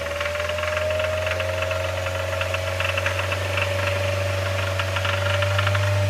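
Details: 2007 Mazda MX-5 Miata engine making a fast, steady rattle, about four knocks a second, over a strong low hum and a clear tone. The owner suspects rod knock; the cause is not confirmed.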